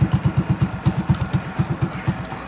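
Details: RSV single-cylinder motorcycle with original unrebuilt engine, idling: even steady low thump about nine beats a second, no cam ticking, no tapping; clean healthy normal idle.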